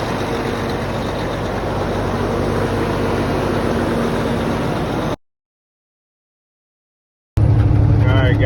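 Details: Cummins ISX diesel truck just after new fuel pump head install for code 559 low fuel rail pressure, cold day: steady low idle clatter about four pulses a second, even until cut off; later no active codes; normal idle.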